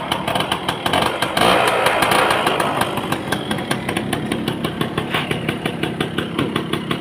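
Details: 1990s Yamaha Belle (likely SL), probably 100cc with a hand clutch, some parts missing but the engine judged good: after a brief rev it ticks over at a steady pulse of about three beats a second, sounding normal.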